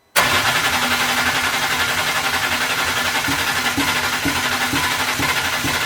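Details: BMW E81 drift car on E85 and standalone ECU, after pumping about 10 litres of contaminated fuel from the tank: starter barely turns before it catches, then a steady even idle with no stumbling or misfires; normal start and idle.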